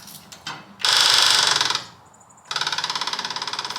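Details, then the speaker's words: Half-scale NASCAR Mini Cup car, electric fuel pump test-powered by clip lead to red wire: two short runs of quick steady buzzing whir squirting fuel, pump working normally. "Oh boy, we're squirting. We got a working fuel pump."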